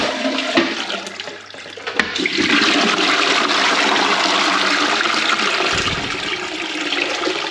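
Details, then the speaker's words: Newly plumbed UK barn toilet with the system filled and the isolation valve behind the panel: a sharp lever clack, then a full steady rush of water draining evenly with no hiss or trickle afterward. Normal flush. "the toilet's full so the system's full so we can give this a flush because as i said the isolation is behind there"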